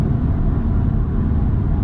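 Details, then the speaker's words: Paracord spiral-wrapped on front roof rack crossbar, test drive at about 67–72 mph: constant low roaring rush with some whistling and howling, worsening from about 60 mph; wind noise and drag from the crossbars. "yep and then at 67 the howling gets more worse 72 ish it is pretty bad you can hear the whistling kinda but most of it is more like uh just really bad drag"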